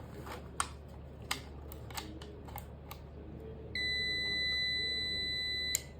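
After a few clicks, one steady high beep lasts about two seconds and then stops; the UPS powered up normally.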